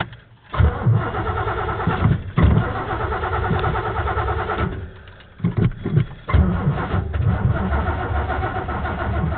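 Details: Truck that sat only two weeks: repeated bursts of starter cranking, engine turns over but never catches; crank-no-start, again.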